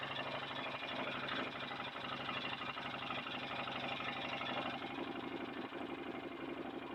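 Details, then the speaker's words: 2008 Can-Am Outlander 500 Max XT with overheating, blowing its fan fuse and going into limp mode: with the temperature sensor unplugged, the aftermarket fan comes on and makes a fast steady scraping tick, about four per second, its blades rubbing against something. "Certainly did come on, but it's making an awful loud noise, rubbing against something, so I gotta investigate that."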